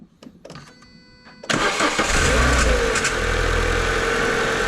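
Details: Car engine start: after a short crank a thin falling squeal sits over idle for a couple of seconds then fades; suspected worn crank pulley rubber insulator, AC, or throttle body servo motor, unconfirmed.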